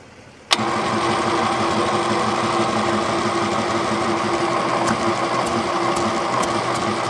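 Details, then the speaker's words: Chemical transfer pump kicks on and settles into a steady even hum with no knocks, rattles or surging; running normally with good suction. "That is working! Woohoo! Brilliant, and it's got good suction."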